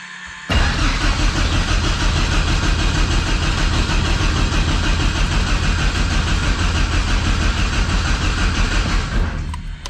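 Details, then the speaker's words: Thorp T-18 homebuilt airplane, unrun about 6 months, fresh fuel, new starter, boost pump on, mixture full rich: steady cranking nearly ten seconds with no firing; no start, fuel starvation suspected, primer not stiffening. "Well, we had a no start, and I think I know why. I think it's because we didn't have the appropriate amount of fuel."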